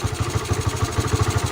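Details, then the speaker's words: Honda Sonic single after repair for hard starting, no idle and loud noise (leaking valves; worn parts and bearing replaced): starts easily and idles quietly and evenly, six or seven soft thumps a second, no knock or rattle; healthy. "โอเคสตาร์ทติดง่ายครับเพื่อนหน้าชายเงียบไม่ดังเหมือนก็"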